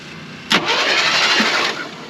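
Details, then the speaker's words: Jeep CJ5 with new battery and battery cables, spark plugs removed, before compression test: quick free starter whir for about a second with no compression chug; it turns over briskly, confirming the connections are good. "Now we're just gonna test and make sure all of our connections are right. Make sure that it actually rolls over. We took the spark plugs out to help it roll over."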